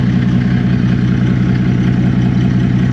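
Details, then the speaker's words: Customer complaint of noisy exhaust at idle; the exhaust broke about a year and a half ago. Loud, low, regular puffing of about 158 beats a minute, like exhaust escaping through a broken pipe: exhaust leak. "Customer says, "Find out why the exhaust is noisy.""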